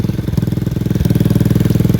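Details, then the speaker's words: Lifan KP Mini 150 with a swapped ZS175FMN 300cc 4-valve engine, at idle. Sharp, even puffing at about fourteen per second with a hard chuff on each beat: exhaust blowing at the head flange, as the KP Mini exhaust needs bending to fit. "it's just pissing exhaust from the flin with the head"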